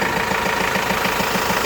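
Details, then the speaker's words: Renault Master 2 diesel, about 306,000 km, towed in with a frightening engine noise and smoke from the hood edges, now after repair: even diesel clatter at steady beats, about five per second, no knock or squeal. A smooth, healthy idle. "Hacı Bekir lokumu gibi çalışıyor ha sahile Güle güle kullansın inşallah"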